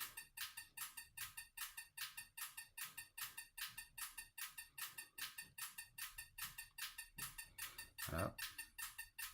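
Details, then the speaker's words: EZ EFI 2.0 bench test, engine not turning: simulated 50 rpm, crisp even clicks a bit under one per second; all injectors firing in the correct sequence 3-4-1-2. "Et on entend tous les injecteurs qui se déclenchent les uns après les autres."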